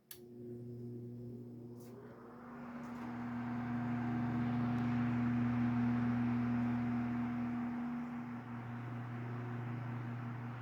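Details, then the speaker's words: Restored 1973 Sears atomic green desk fan on high, motor cleaned and lubricated, loose oscillation rattle fixed with washer: smooth even hum, steady low tone, no rattle or ticking; normal running. "Listen to how smooth that is. It moves a ton of air, too."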